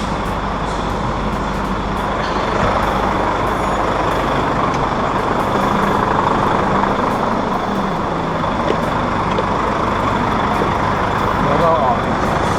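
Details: Volvo 400 hp tractor-unit diesel, just jump-started with a Spark JST24 after its two 180 Ah batteries went dead: steady, even idle with a low, regular chug and no misses or knocks, running normally.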